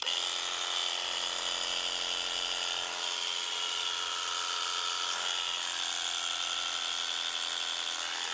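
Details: Clipster cattle clippers after repair with new nylon gear, greased, and new blade set: high, steady electric buzz with even tone, no grinding or skipping; drive runs smooth and healthy.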